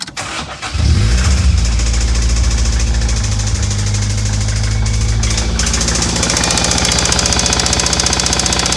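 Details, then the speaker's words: 1988 Toyota MR2 AW11 with fuel pump jumpered to run continuously, suspected modified intake and circuit opening relay issue: catches into rough rattling run with ticking and uneven pulsing; abnormal engine noise, cause unknown. "There's a lot of bad noises going on. I I don't think it's supposed to sound like that. Yeah, that sounds pretty bad."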